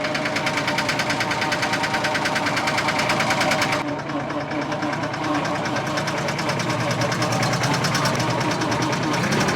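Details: Case 1835C skid loader diesel with broken piston rings, started on 24 V: rough, uneven idle with a heavy knock about three times a second; the plan is to run it at high rpm repeatedly to see whether it improves.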